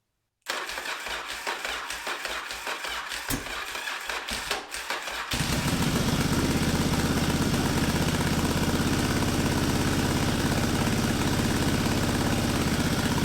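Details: Yamaha Virago 920 V-twin's first start on a Mikuni VM30 carb with the stock 250 main jet, a 2-into-1 intake manifold and a cleaned starter push button: several seconds of ragged cranking and coughing, then it settles into a steady, even idle. Normal start.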